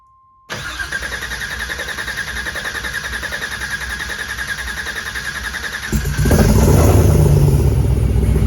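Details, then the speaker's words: LT4 crate engine swapped into an El Camino, first start after priming: starter cranks briefly, then the V8 fires right up and settles into a steady, even, deep idle. Runs cleanly; a loose fuel filter leaked afterward. Normal idle. "so you know comes time to fire it up plug in the fuel pump crank it over a little bit fires right up"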